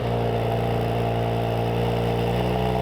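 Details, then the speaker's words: Audi B9 S4 3.0L V6 TFSI after fitting stronger Mopar springs to the active exhaust valve actuators (previously rattling, codes P0477/P0475/P049F): steady even idle, no rattle, codes not returned; slight cold-start buzzing still heard. "So with the springs installed so far, I have not seen the codes come back. I have driven around some more. I have not heard that awful rattle."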